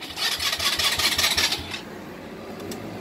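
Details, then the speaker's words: 2018 Polaris Phoenix 200 ATV, bought new, repeatedly stalling and won't restart, after sitting nine hours: the starter chugs about 1.5 seconds, nearly catching but stalling. The dealer found an incorrect carburetor needle clip setting. "they want to sounds like it wants to start just keeps on stalling out"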